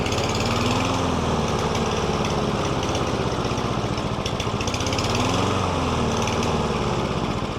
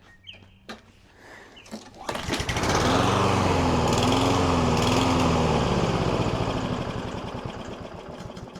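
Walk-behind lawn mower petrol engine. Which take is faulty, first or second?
second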